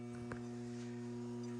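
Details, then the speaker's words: Gardco Lighting 250W HPS parking lot fixture's magnetic ballast humming steadily, low hum with a buzzy overtone, while the lamp warms up after startup; normal ballast hum. "You can hear my ballast humming away on my GuardCo lighting parking lot fixture."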